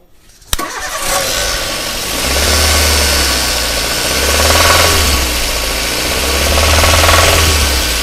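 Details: Daihatsu Xenia engine ruined by neglected oil and mud: a cold start, then a rough idle with a steady metallic knock about three times per second. Suspected spun crank bearings leaving rod-to-crank clearance; not confirmed.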